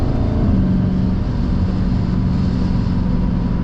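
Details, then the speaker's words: Dodge Challenger SRT 392 Scat Pack V8 accelerating hard from 40 to 100 mph: faint steady low whine under the loud roar; owner unsure of source in engine or drivetrain. "I don't know if y'all can hear that whine, but there is a whine in this damn car. I don't know why it whines. That's a slight whine."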